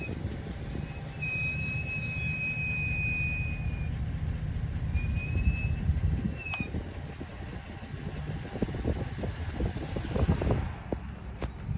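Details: Ram 1500 coasting to a full stop: a thin high squeal sounds twice over a low rolling rumble as the truck stops; brake squeal, cause not pinned down.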